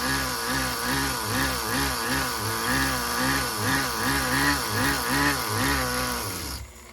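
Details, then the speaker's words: Tamiya TGS-R nitro RC car, first startup after engine rebuild, top needle at factory setting: small nitro engine buzzes steadily at high pitch with gentle surging beat, then shuts off; smooth, healthy running, owner thinks idle gap needs increasing. "you guys hear how freaking smooth that is"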